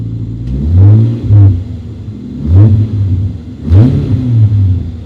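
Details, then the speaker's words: 1993 Toyota Supra RZ JZA80, 2JZ-GTE twin turbo with Blitz ECU, owner chasing a misfire: cold engine idle swelling and sagging about every second instead of holding steady; unstable hunting cold idle. "I'm just the idol so that's him there as you can see if we can get some focus it's jumping just that little bit"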